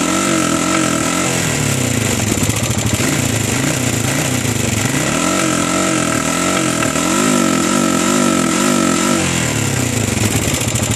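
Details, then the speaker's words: 2013 Honda Rancher ATV: starts and idles fine but on revving stops at the same rpm each time as if hitting the rev limiter, with sharp backfiring pops and stumbling; cause unknown. "so you hear it backfiring it only revs to a certain rpm"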